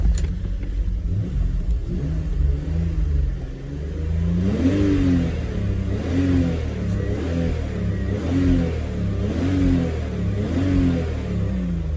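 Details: BMW E46 sat two years with a running issue: engine rises slightly then falls back in repeated shallow blips, never revving high; live data shows throttle pedal at 0% while pressed, faulty accelerator pedal sensor limiting revs.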